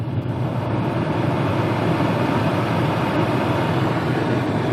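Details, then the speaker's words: 2004-08 Pontiac Grand Prix heater blower switched full, half, off, then full, engine running, after repairing the blower motor resistor, possibly only a temporary fix; blower motor still due for replacement: steady loud air rush, no squeal or rattle; normal operation. "oh yeah that is a working heater full blast half I don't know if you can hear that or not off [Laughter] that's awesome on full"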